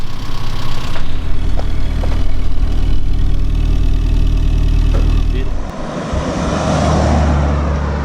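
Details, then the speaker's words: Classic Mini Mayfair with 2,000 miles, after a replacement standard exhaust was fitted: a steady, even idle burble with a deep note, no ticks or misses. It runs healthy. "so that's it the absorbs it's fitted it runs an absolute same machine"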